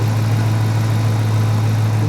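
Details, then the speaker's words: 2016 Dodge Challenger 5.7 L Hemi V8 with Shaker hood at idle; deep, steady low rumble with an even, unbroken exhaust beat and no knocks or misses; normal healthy idle. "Whoa. Yeah, this is She will get up and go now. She does sound good, too."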